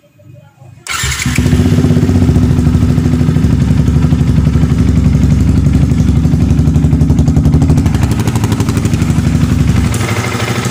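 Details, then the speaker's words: Yamaha R15 after adjusting the cam chain tensioner (cam chain itself still good): fires up and settles into a steady even idle around four pulses a second; rough chain ticking from the engine gone. "Di sini suaranya sudah gemitiknya, suara kasarnya sudah hilang Pak ya."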